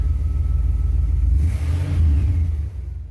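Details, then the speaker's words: 1975 Cadillac Fleetwood V8 idling at about 800–900 rpm on newly installed gauges, charging confirmed: deep, steady rumble with even firing and no knocks or misses; healthy idle. "It's about more accurate. 8 to 900 RPMs. And we are charging."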